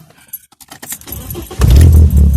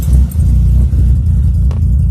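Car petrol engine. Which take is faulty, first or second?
second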